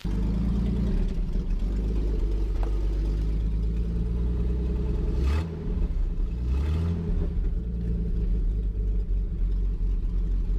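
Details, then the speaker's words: 1949 Chrysler Windsor sitting since the 1950s, revived: deep, even low rumble with steady beat and no knocks or misses at fast idle, getting hot; normal running. "this crazy starting up like that oh man this is running good"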